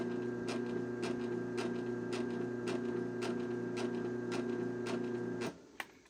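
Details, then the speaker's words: Used LiftMaster 3585S Elite Series garage door opener, all original, running off the rail with a 398LM panel; steady motor hum with a light tick about three times a second until it stops; slight drive sprocket noise. "As you can hear, it's got a little bit of a sprocket noise, and you probably heard the knocking last night."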